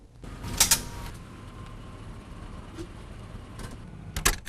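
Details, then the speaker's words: 1991–93 Buick Roadmaster: two sharp, isolated pops a few seconds apart; steering pop caused by a frame bolt hole rubbing across the steering gear bolt thread. "That's definitely a steering pop if I ever heard it."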